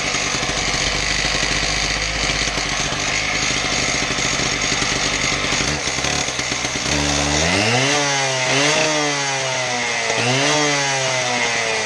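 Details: Husqvarna K770 concrete power cutter after repair of bogging, with replacement part likely from a K760: buzzing two-stroke holds high revs, blips up and down cleanly, picks up crisply, no bogging; runs healthy.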